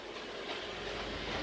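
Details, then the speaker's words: Garage door dragging again after it stopped halfway going up the night before: steady rumbling scrape with light rattling clatter as it travels. Rollers likely need adjusting; cause not confirmed. "But it's dragging again. Please send somebody over here to fix this, okay?"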